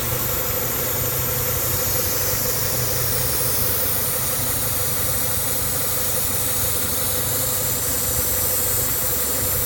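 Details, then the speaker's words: Constant airy hiss over the idle, with a customer complaint of a lean check-engine light. Pinching off one vacuum line stops the hiss and smooths the idle; that line is leaking. Vacuum leak. "As soon as I pinch it off, the car, look at it, smooth, it runs better, and the hissing noise goes away."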